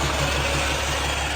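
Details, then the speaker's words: Roll-off truck Caterpillar diesel idling with hydraulics left engaged on PTO after unloading dumpster: quick regular pulsing hum over idle; engaged hydraulic PTO noise, fixed by disengaging. "the driver unloaded the dumpster and then left the hydraulics in that's why it's making that noise"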